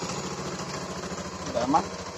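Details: 2015 Honda Beat injection scooter, previously no fuel pump and no coil spark: even, regular putter at steady idle, no misses or knocks; running smoothly.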